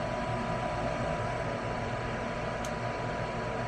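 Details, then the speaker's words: Westinghouse 90% furnace after replacing the faulty, loud inducer fan that could not build enough pressure for ignition; new inducer runs with a smooth, even whir, no rattle or scrape, and the control shows a solid light. "That sounds much better. And you notice we have a solid light over here this time."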